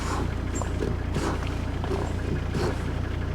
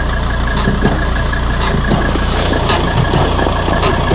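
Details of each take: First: 2003 Volvo XC90 D5 diesel braking on the road after stripping and cleaning the front brake calipers: steady low diesel rumble with cabin rattles, no creak or groan from the brakes, so the caliper creak is cured. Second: 2003 Volvo XC90 D5 at diesel idle: short dry creaks, one or two a second, from the front wheel brake caliper, investigated by stripping and cleaning the front brakes; cause not yet confirmed.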